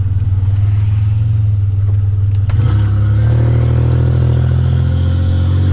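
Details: 1985 Nissan 300ZX Turbo (Z31) driving after misfiring under boost, new spark plugs and wires and replacing a torn intake/charge-pipe hose that caused a boost leak: loud deep exhaust pulling hard through revs without stumbling or cutting out; now builds boost properly.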